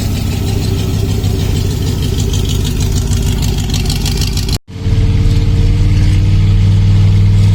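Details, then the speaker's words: Freshly rebuilt Ford Ranchero V8 with new gaskets, 3-speed automatic, not yet timed, no mufflers fitted. Very loud, deep, throbbing idle with a slightly uneven beat and a brief break; open exhaust with some backfiring. "It's very loud. Definitely needs mufflers. Whew, it's loud."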